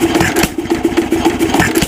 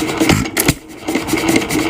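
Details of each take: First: 1926 Nelson Bros. hit-and-miss engine, governor spring screwed in to raise governed speed: quick, steady run of firing beats with no skipped strokes, holding a noticeably higher even speed before mixture readjustment. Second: 1926 Nelson Bros. hit-and-miss engine running, fuel on mixer being turned down: uneven soft puffs and gulps, weak irregular firing instead of crisp bangs, sucking twice per try; mixture too lean.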